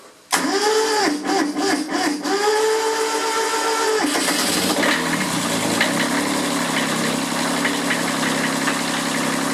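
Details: Kubota B7001 diesel tractor, unused about two months, about 10 °C, in neutral, battery charged but possibly weak: long labored cranking, uneven firing, catches around four seconds then rough run; hard cold start, cause suspected.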